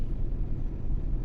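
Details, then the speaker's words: GMC Yukon V8 (2015/2018), idling during an injector live-data check: deep, even low rumble with no stumble or skipped beats. Per the graph, all eight injectors are working properly with equal values. "तो ये चेक कर सकते हैं इधर बिल्कुल सही काम कर रहे हैं।"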